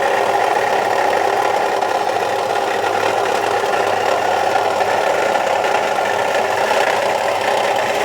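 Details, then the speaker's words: 2003 Chevy Trailblazer petrol engine idling with a fast, steady metallic rattling knock; the fan clutch was replaced on a shop's advice but the noise remains, and the owner is unsure where it comes from. Cause unknown. "got a a noise in here sound like a rattling or knocking noise uh took it to Sears Automotive and they said that it was the fan clutch"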